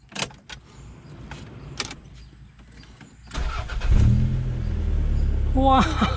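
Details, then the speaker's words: Toyota Corona 3S-FE with hiccup complaint, started after fitting new spark plugs: cranks, catches and settles into a steady, even idle with no stumble or misfire; normal idle. "ทำไมมันเอ๊ะทำไมมันนิ่งจังเลยอ่ะ"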